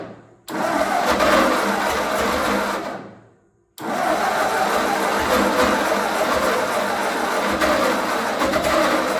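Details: 1948 Ford 8N tractor after full engine rebuild, new carburetor possibly not adjusted, neutral, choke on, first start: catches, fades, fires again and settles to steady even beat; sounds good, leak noted; normal running.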